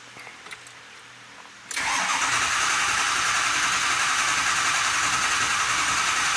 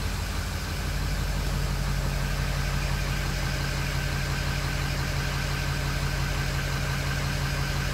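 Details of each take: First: 2005 Ford Super Duty 6.0L Powerstroke diesel, 287,000 miles, cranking: steady whirring crank for several seconds that never fires; no start, scan data shows too little injector control pressure, regulator fully closed; high-pressure oil leak suspected. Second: 2005 Ford Super Duty 6.0L Powerstroke diesel, 287,000 miles, after O-ring repair in high-pressure oil system cured the no-start: fires cleanly, settles into steady even idle with no misses or knocks.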